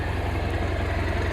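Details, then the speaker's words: Chevy K30 squarebody crew cab with a swapped, brand-new 4BT Cummins diesel and NV4500 five-speed, after a 20-mile test drive. A steady, slightly slow diesel idle with an even knock, running smooth. Idle speed sits a little low and needs adjusting. "I don't know if you guys can hear it the idols a little low I'll adjust that some"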